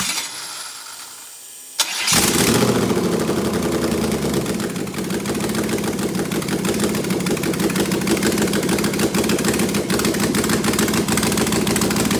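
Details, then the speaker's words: Engine with no headers, running in open loop, about 36 psi oil pressure: cranks briefly, catches at once and settles into a loud, even idle with no knocks or misses. Healthy start and idle. "she fires right up so um open no headers at all"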